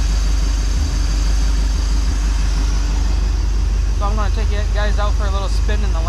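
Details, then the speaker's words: GMC pickup just after swapping in a new distributor to cure a misfire under load: deep, steady idle rumble with an even beat and no misfire, ping or knock; runs better than before, normal idle. "I'll start it up for you it runs great actually it runs better than what it used to it was always a good running truck"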